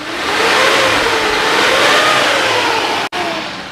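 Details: 2003 Suzuki Carry Futura Realvan DRV revved during an exhaust smoke check, temperature gauge normal: pulls up smoothly and settles back with steady pitch, no knocks or misses; no white smoke, sounds healthy.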